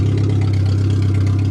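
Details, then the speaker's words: Suzuki Swift 1.3 small petrol engine on a makeshift fuel system, just fired up for the first time this year: steady, even low idle with a smooth unbroken beat, no knocks or misses; normal idle, owner says it works perfect. "Works perfect. This thing fired up great this year."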